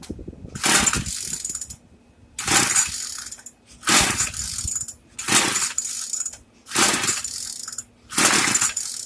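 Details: Craftsman two-stroke weedeater, stored after six months' use and stopped running, after priming, set on 2: six pull-starts about two seconds apart, each a brief rattling buzz, no sustained running; hard starting.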